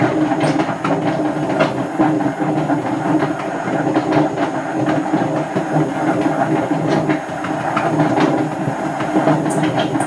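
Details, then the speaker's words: Hotpoint First Edition FEW12 washing machine, left outdoors for months: a heavy rolling roar with rattling clicks throughout the spin. The drum bearings are badly worn. "I don't know if I've ever had one as bad as that that worked"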